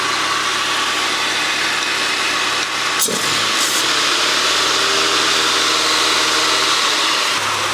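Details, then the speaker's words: 1993 Rover 220 coupe, T-series engine, first run after head gasket and timing belt change, warming up waiting for thermostat to open: steady, even idle with no puffing or ticking, no exhaust blowing heard; some oil burning off the block. Normal idle. "but I will just run it and hopefully we'll get the thermost to open in a minute I can't hear any exhaust blowing which is good"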